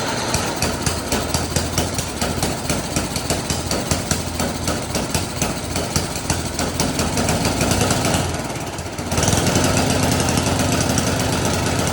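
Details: Snowblower: fast, even small-engine putter with a brief dip then steady pickup as the throttle changes; runs cleanly, normal running.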